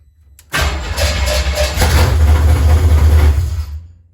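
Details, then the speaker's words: 1977 Chevy Camaro V8 with part of the exhaust removed, started after installing an American Autowire harness: short crank, then a loud, deep open-exhaust rumble that settles smoothly; healthy start. "Definitely fires up. I had the exhaust taken off, so yeah, so that sucker is loud, but it sounds good."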